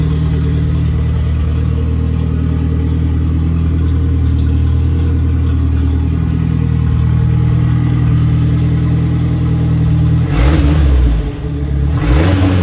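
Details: Steady, even idle with two clean blips and no popping or stumbling from the '59 Mercedes body on an '87 Ford Thunderbird Turbo Coupe chassis. An overlooked fault was fixed, so it no longer backfires or misfires on revving and runs properly.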